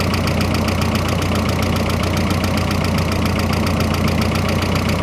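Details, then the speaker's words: Freshly rebuilt turbocharged engine on first start, idling with the hood closed: a loud, clattery idle with a fast steady pulse over a deep drone and some lifter tick; too noisy for a rebuild, cause unknown, owner hopes it just needs to break in. "You see what it sounds like with the hood closed. Maybe it's quieter. No, it's not much quieter. Maybe she just needs to break in."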